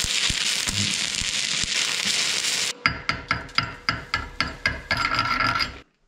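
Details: Vevor MIG-250 stick welding with a 4 mm electrode at up to 180 A (unit rated to 200 A stick): steady crackling sizzle, then rhythmic bursts about four a second as the rod is struck; the thick electrode burns with a stable arc.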